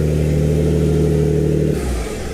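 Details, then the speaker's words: Built Greddy twin-turbo G35 after the fuel pressure fix (about 90 psi, later set to 54), UpRev tune loaded; steady even engine note, smooth hum, no knocks or misses. AFR about 12, good oil pressure, running clean. "AFR is looking so much better. It's at 12 right now. And the car's running so good! Woo!"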